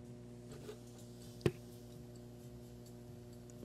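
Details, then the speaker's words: Op-amp null test with music recorded through an LM833 versus an NE5532, one on a supply with 3 V ripple per rail: a steady mains ripple hum with faint clicks gets through because the two amps differ in supply-voltage rejection. "a little bit of music getting through quite a bit of hum i'm getting a lot of that ripple hum through so the svr differences between the two amps is allowing that ripple to get through"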